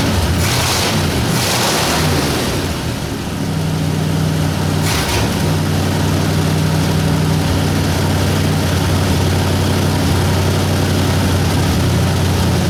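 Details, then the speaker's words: 1960 Ford F100 with 351W V8, first start after carburetor strip and clean, valve cover unbolted: deep, even idle, smooth regular rumble, no misses or knocks; oil light went off immediately, motor sounds good. "so well started and ran oil light went off as soon as it started"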